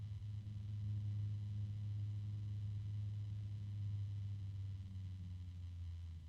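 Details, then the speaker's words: Antec TriCool 140 blue case fan on its low setting, running slowly: a quiet, steady low drone with a fixed humming tone, heard as a harmonic resonance; owner suspects the bearing. "I do hear a noise I'm not sure what it is I'm assuming it's the uh bearing hear how low that is I think that's a harmonic resonance right now"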